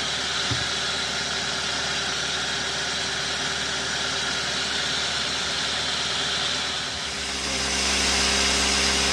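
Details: 2012 Toyota Avanza that overheated and stalled on the highway from poor cooling, after engine teardown, reassembly and radiator refill: smooth, even idle with a steady hiss on top, no stumbling or surging; sounds healthy.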